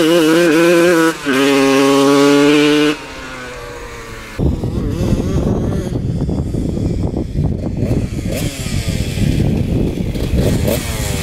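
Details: 1993 Honda CR125 two-stroke, after shift fork fix and carb jets changed (52 and 165), not clogged: shrill revs climb, sputter and break up near the top, then clear and scream on; fuelling issue suspected, not confirmed.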